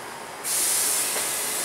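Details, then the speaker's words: Porsche Cayenne front left air suspension, pressure applied: sharp, steady hiss starting abruptly and continuing as air escapes through a hole in the air spring's rubber boot; air spring leak. "Olha o barulho. Ao mesmo tempo que ele dá pressão, automaticamente pelo furo que já tem ali na coifa do amortecedor, no caso ali da coifa da borracha, da pneumática, né? Ele já vai se esvaindo."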